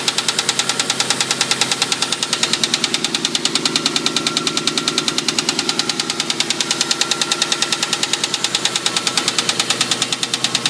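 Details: 2001 Mustang GT petrol V8 idling with a sharp, even knock about three times a second, still present after a shop was supposed to fix the engine noise.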